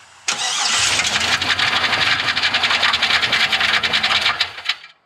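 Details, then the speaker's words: LS-swapped Chevy C10 V8 just after start-up: it runs with a loud, uneven clunking clatter near the flywheel end; suspected starter not disengaging from the flex plate, not confirmed. "Let me just run it again, and it seemed pretty clunky in there."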